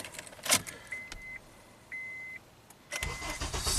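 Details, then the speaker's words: 2003 Honda Accord that surged, stalled in Drive and flashed the D indicator with code P0507 (shift range sensor short), following an earlier shift-lock override hack: after the yellow/black wire at pin E2 is cut, keys jingle, a chime sounds, and it cranks and catches cleanly in three seconds. "Start up and shift to drive. No issues. We're done."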